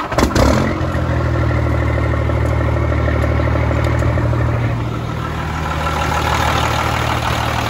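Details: Freightliner FLD120 with Cummins M11 diesel after replacing the old fuel water separator and fixing air in the fuel lines; fires right up, steady even idle, low rumble, no stumbling; normal idle.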